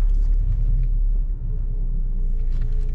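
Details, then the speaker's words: Left front suspension after repair, test drive reversing, over a speed bump and through sweeping turns: only a smooth low rumble, no creak and no trace of the earlier clunk from the left front, so the front suspension sounds normal. "hey so far so good okay first obstacle is this speed bump it's gonna tell us everything we need to know nice we'll do a couple sweeping turns through the lot here i hear no creaky noise beautimist"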